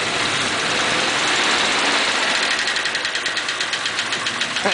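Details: Warm 1941 Pontiac, oil pressure about 40, after freeing stuck valves with cylinders 3 and 6 low on compression (about 80 and 90): note roughens into an uneven pulsing beat, an intermittent misfire; cause suspected, not confirmed.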